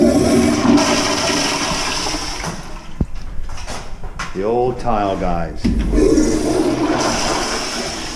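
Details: Toilet flush in a movie theater after clearing a clogged sewer line with an electric snake: loud rushing flush with gurgling water draining steadily and evenly, no backing up; line flowing freely.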